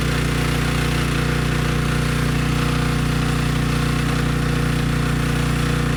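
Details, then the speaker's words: Briggs & Stratton Storm Responder generator after cleaning a dirty carb, running on a test tank: starts right up, steady even drone at constant speed, no misses or surging; generator head makes power. "okay good no surprises the engine started right up it sounds good and the generator head makes power"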